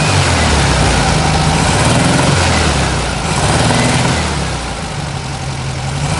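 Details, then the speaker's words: 1967 VW Beetle convertible, 1600cc air-cooled flat-four with 1901 two-barrel carburetor and dual exhaust: even throaty idle with a steady low beat, easing slightly in speed midway, no knocks or misses; normal idle. "we will fire that motor up uh that way at least you get to hear what that 1600 cc motor sounds like"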